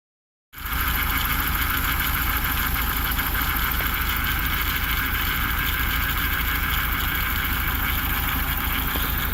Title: 1987 Toyota Van Engine Idling (Diagnostic Video - Strange Noises)